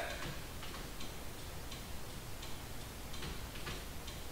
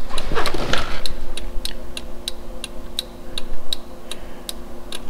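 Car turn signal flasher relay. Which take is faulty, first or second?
first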